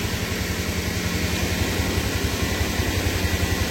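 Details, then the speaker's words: Car with flat battery jump-started from a running motorcycle via cables after some time charging: even low pulsing idle around four beats a second over steady hiss, motorcycle still running and connected. "nah ini kita starter sambil motor tetap menyala ya nah ini motor tetap menyala tidak masalah ya masih tersambung"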